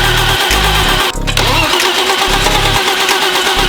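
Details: BMW E34 5 Series barn find being readied to run: uneven cranking pulses for about a second before it catches, then a rough, rumbling idle likened to a tractor; engine is hard to start.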